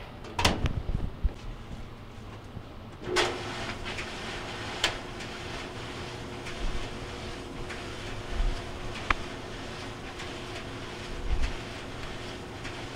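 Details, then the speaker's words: GE DVLR223FT1WW dryer after rear drum bearing (WE3X75) replacement for squealing: steady low drum rumble with soft tumbling thumps, no squeal or chirp; running normally. "and you can see our noise is gone away"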